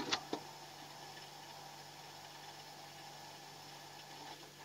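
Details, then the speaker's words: Refrigerator after refilling methyl to clear a blockage: a couple of clicks, then quiet steady low hum with faint hiss, filter slightly vibrating and warm; compressor running normally, system not clogged. "bunyi ini harus bunyi nih Ini Yang Namanya tidak mampet ini ini saya menjamin ini tidak mampet"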